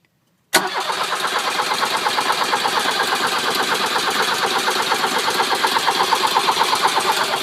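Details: Volkswagen Vanagon 1.6 diesel with newly replaced glow plugs, cranked in neutral after the glow light goes out: even compression beats, nearly three a second, for seven seconds, never firing. Cranks but won't start.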